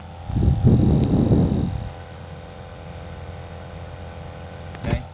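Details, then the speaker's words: Intermittent vehicle blower motor that sometimes spins slowly on high speed: fan surges with a rough uneven rumble, then drops to a faint steady hum, noise varying louder and quieter; failing blower motor. "sometimes it goes really really slow you got it on high speed and it'll just be sitting there spinning just kind of slow and sometimes it'll work fine uh and it is making some noise"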